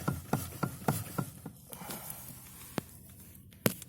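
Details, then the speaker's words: Lada Kalina steering rack (3.1 turns), knocking again despite two rack rebuilds, a caprolactam bushing, a new preload spring and a bushed, greased steering-column joint: sharp hollow knocks near the centre position when returning to straight-ahead, then isolated thuds. "короче вот такой вот стук меня лауру махачкала думал он стучит у нас про ингу казалось дело не в нем"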